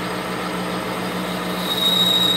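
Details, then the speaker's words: Lathe taking the final pass cutting the nose of a bullet mold bored from old plumbing fittings: a steady cutting hum, then a thin high squeal from the cutting tool rises partway through. "And you can hear it starting to squeal just a little bit."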